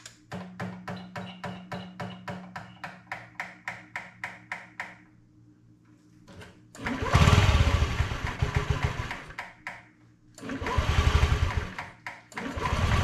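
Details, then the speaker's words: Honda Metropolitan 50cc scooter revived after years abandoned: several seconds of quick even cranking, then it catches and revs cleanly in bursts, fuel pump audible; normal running. "yeah it runs not better than that 500 does you really hear that fuel pump go"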